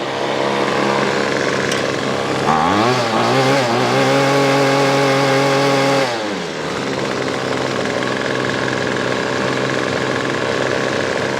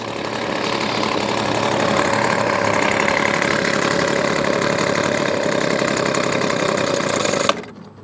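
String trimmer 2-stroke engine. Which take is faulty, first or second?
second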